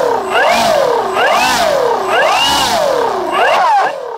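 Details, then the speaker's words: Starmax 1600mm P-51 Mustang electric RC plane held at full throttle on the ground: wailing tone swooping up and down about once a second as power surges and sags. Owner suspects improper ESC timing; changing the ESC settings seemed to cure it. "God it sounded like something seized up I mean it sounded like it was seasoned I went to gun it and that's what was making that noise"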